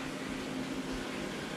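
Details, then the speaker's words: Inverter in a battery setup with AC-coupled PV bringing in a couple of kilowatts: steady low electrical hum with faint buzz over hiss; owner suspects a phantom load, a PV inverter not communicating due to a network issue. "all right so we got a phantom load somewhere clearly that means one of the PV inverters is not uh not speaking when it should be that's what that noise is"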